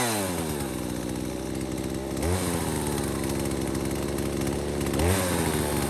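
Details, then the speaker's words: Husqvarna 240 chainsaw with new Hipa aftermarket carburetor after high, low and idle adjustment, restarted after sitting 15–20 minutes: crisp two-stroke revving up and settling back cleanly, no bogging or stumbling; carb set right. "Okay, there you have it. Basically running good."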